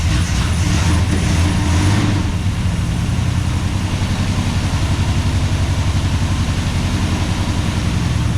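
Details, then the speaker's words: 1969 International C1100 pickup repowered with Valiant 265 Hemi, first start after sitting for years, running on mechanical fuel pump: revs sag then lumpy, uneven wavering idle, "running like a hairy goat"; owner suspects lifters pumping up and dodgy plugs. "Yeah, it will run. It's running like a bit of a hairy goat."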